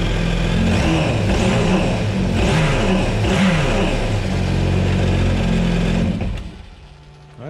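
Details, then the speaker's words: Yamaha supercharged jet ski after supercharger sprag clutch replacement, new spark plugs, oil and filter, on land: fires and holds a strong even rev with steady supercharger whir, seemingly making boost, no oil leaks; runs healthy. "everything sounds as it should sounds like the supercharger was making some boost no oil leaks so we're good to go"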